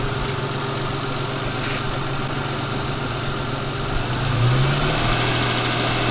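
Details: Subaru WRX started for the first time after 10 months off the road: a steady, even idle with a low, constant hum and no misses or stumbles; normal idle.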